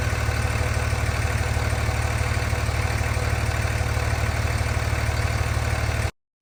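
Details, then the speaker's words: Mega Cab diesel tow rig just fired up: steady idle with a light, even tick about three per second, which the owner attributes to the leaking power steering pump, first blaming the Hydroboost then correcting himself. "got it all fired up and then uh that ticking noise is going to be our leaking power steering pump so it's actually the Hydra boost that seems to be the problem"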